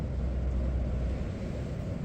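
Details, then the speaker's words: Vevor diesel air heater powered by Bluetti AC50B in a one-person tent, about -1°C, set on level four: steady low roar with even fan rush, no pulsing or ticking; burning clean and blowing very hot. "Oh yeah, that's really hot. Can't get my head in front of it. This thing's really blowing."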